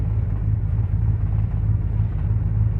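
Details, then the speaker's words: 1979 Ford F150 Supercab 460 V8, cold start at about 20-something °F after tightening carb bowl screws and cleaning terminals and grounds, jump pack attached: deep, even V8 burble holding steady with no stumbling or knocking; normal cold idle. "it's idling. Beautiful. The old 460 doesn't want to wake up, but guess what? You're gonna. It is."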